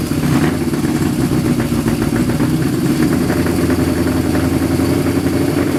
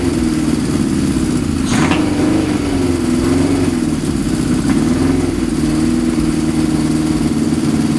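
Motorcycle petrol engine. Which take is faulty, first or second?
first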